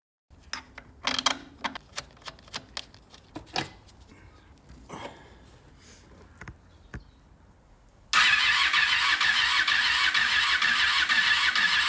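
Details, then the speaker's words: 2001 Honda VFR800FI (Gen 5) revived after restoration, coolant refilled with water: scattered starter clicks and several seconds of cranking, then it catches and settles into a strong, steady run; engine sounds really good. "yes so she runs now the engine sounds really really good"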